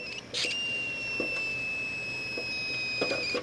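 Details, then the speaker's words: Pressure canner cooling down after canning cabbage, gauge already at zero: thin steady steam whistle with hissy spurts, sputtering and soft pops; wait until all noise and bubbling stop before removing the weight. "wait till everything just stops making noise and stops bubbling and then you can go in and check everything out"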